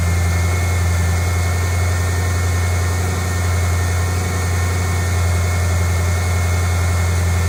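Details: 2008 Ford Mustang GT convertible V8, cold start and idle before an oil change on quite low oil; loud steady low drone with constant hum, no tapping or knocking, idling evenly and healthy.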